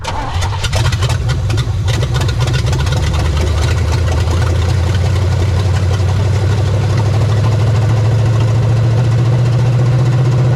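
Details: 1975 Chevy Nova 350 four-speed with headers, sitting since 1987, cold restart with junk burning off headers: loud, deep, slightly uneven idle, rpm hunting as choke settles; unsettled cold idle, choke suspected.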